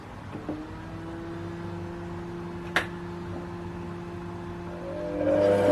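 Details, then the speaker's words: Mini lathe after fitting two steel gears for a left-hand single-point threading adaptor and gluing on a cover: even motor whine and steady low gear hum, no scraping or rubbing; only the gear noise that was there before. "So, that's only the uh the noises that were there before. So, it's not rubbing on any of that."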